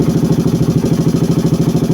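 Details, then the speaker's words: KTM Duke 200 with an RC390 regulator fitted, charging system now OK: fast, even clatter at idle, about eleven ticks a second over the engine beat; too noisy, and removing the cylinder head cover showed a dislodged valve shim. "Ang problema nito, itong ingay na tunog. No? Masyadong malagatik yung kanyang makina."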